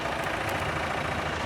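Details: Fiat Siena arrived at the shop squealing, engine running: harsh, raspy mid-pitched grinding drone from the clutch area with heavy smoke, nearly catching fire; failed clutch release bearing.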